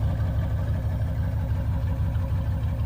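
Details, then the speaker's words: OBS GMC Yukon petrol V8 running on a relocated two-door gas tank, idling during a leak check: smooth, deep, steady idle, no surging or misses; normal idle. "i'm just gonna let it run for a little bit you know make sure there's no more leagues or anything"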